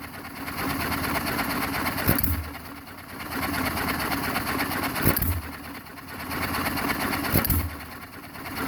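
Slow, spaced firing bursts about every two and a half seconds, coasting quietly between them; a hit-and-miss engine governing evenly and healthy.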